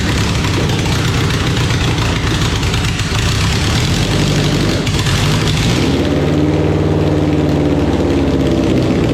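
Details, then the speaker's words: EK Honda Civic with a D-series engine, bought as a cheap budget car, on its first start attempt running a swapped-in ECU after a wiring conversion: it catches and settles into a steady, smooth, even low idle with no misses or knocks; normal idle. "oh [ __ ] yo this [ __ ] [ __ ] runs and smooth as hell I can't believe this [ __ ] yo"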